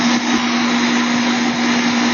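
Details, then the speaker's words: Home air conditioner condenser after capacitor replacement: contactor in, fan (about 1.2 A) and compressor (about 7.3-7.5 A) running; loud steady hum with even fan rush, no stutter or rattle; normal running. "Okay, our contactor has pulled in and our condenser fan is running. I can hear the compressor has also kicked in."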